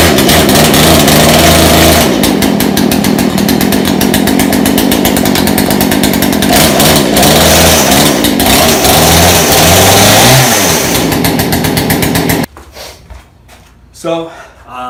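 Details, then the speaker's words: Discarded Craftsman two-stroke chainsaw, taken apart by a previous owner, runs after reassembly and carburetor adjustment (low-speed screw backed out a full turn). It fires up and holds a strong, steady, even buzz for twelve seconds, then shuts off. Running properly. "But it looks like my garbage Craftsman chainsaw is now working."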